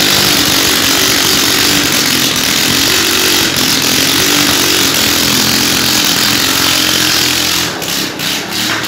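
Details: Moto Techno 200cc motorcycle, first running after its wiring burned: single revving high and raspy, steady buzz dropping off near the end; engine runs cleanly.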